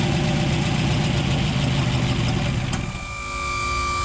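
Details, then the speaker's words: 1962 Ford F-350, off the road 24 years, engine rebuilt by owner: lumpy, uneven loping idle for a few seconds, then abrupt cut-out; rough idle then stalling, cause unknown, owner suspects it may be out of gas. "Anyway, not sure why it died. It might actually be out of gas."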